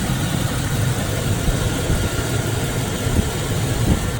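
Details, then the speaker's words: 2005 Chevrolet Silverado, believed to be a 2500, with about 203,000 miles that has probably sat a long time, idling under the open hood. A brief knock at startup faded quickly, leaving a steady, even, quiet rumble with no misses. "Alright guys, so nice and quiet engine. There's a little bit of kind of a knock sound at first, but that went away pretty quick, so probably just been sitting for a long time. Oh, this sounds good."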